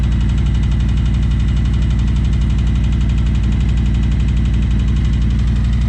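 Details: 2020 Harley-Davidson Road Glide Limited big twin just after fuel filter replacement, at an even potato-potato idle of about two firing beats a second, smooth and steady with nothing odd.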